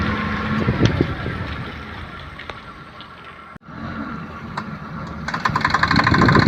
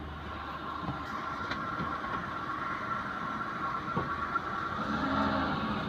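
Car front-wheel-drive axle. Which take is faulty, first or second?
first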